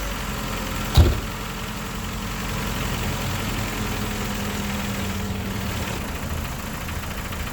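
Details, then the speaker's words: 2001 Ford Escort ZX2 just after an oil change: steady idle with one early thump, then a faint light ticking like valve chatter; owner hopes it's only because fresh oil hasn't reached the top end yet. "don't know if you guys can hear it, but it almost sounds like there's valve chatter. I'm hoping that's just because the oil hasn't worked its way up there yet."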